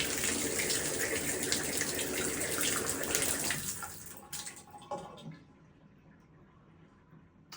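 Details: Delta shower after replacing the pressure valve cartridge to cure knocking pipes: steady even rush of water with no knocking or banging, then flow dies away quietly.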